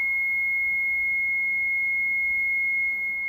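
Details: Mitsubishi Shogun with almost no brakes: with the engine off, a single high, unbroken beep sounds continuously alongside constant ABS and brake warning lights. Hydraulic brake booster (HBB) fault codes cannot be cleared while the fault is present.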